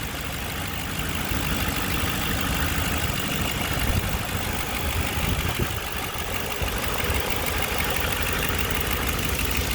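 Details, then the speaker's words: 2007 Ford Explorer 4.6 L V8, 115,000 km, under the hood, oil apparently just changed, no leaks: steady idle with an even hum, no knocks or ticks; running smoothly. "i don't see any major issues valve covers nothing leaking anything like that"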